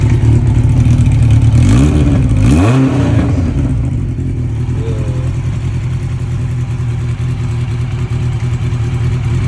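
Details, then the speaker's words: 1992 Honda Nighthawk 750 after shift shaft oil seal replacement and oil change: smooth, steady idle with a couple of clean revs that rise and settle evenly, no clatter or misfire; normal idle and revving. "Turn on the gas. Turn on the key. Yeah, as y'all can hear, sound nice."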